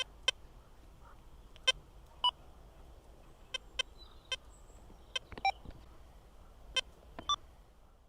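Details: XP Deus II metal detector used under power lines, multi-frequency program: faint hiss with scattered sharp high chirps and blips at random intervals. This is EMI chatter, not targets, reduced by switching to a single-frequency program and stepping through frequencies.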